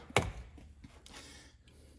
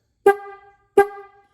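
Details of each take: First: Restored 1960s Ford Mustang high-note horn, de-rusted and points filed: three short honks with high, buzzy, raspy tone instead of a clean note; contacts set too tight, owner says it worked better before cleaning. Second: Restored rusty 1950s–60s Ford horn after sanding the points: two short taps give a clean, crisp steady tone with no rasp, though it turns scratchy when held on; normal horn tone.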